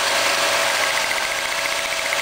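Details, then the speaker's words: GM distributorless ignition with a wire boot lifted off the coil pack while running: quick, crisp spark clicks snap steadily over the engine hiss, showing the coil is firing and good. "you hear it clicking that means uh the coil is firing"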